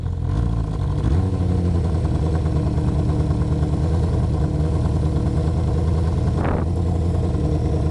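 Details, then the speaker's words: Honda CB500/550 engine, warmed up a little: a steady low drone with a brief rev blip that falls back slowly. The idle hangs high instead of settling, so it is hard to tell idling from hanging; unstable idle. "I don't know if this is a really good idle right here or not but with it hanging up the way it does it's hard to tell if it's idling or hanging"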